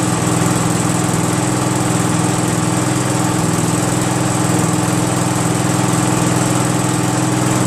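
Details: Craftsman GT6000 garden tractor repowered with a Briggs & Stratton Vanguard 16HP horizontal-shaft twin, run after swap; steady, even thump at constant throttle, no misses or knocks, running smoothly.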